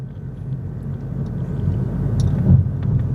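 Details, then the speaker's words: 2022 Honda Insight after replacing the rear passenger upper shock mount to cure rattling and clunking: even road rumble with one soft thud over a drain, no rattle or clunk, suspension now quiet. "Hallelujah. I think we're in business. Quiet as can be. No annoying rattling."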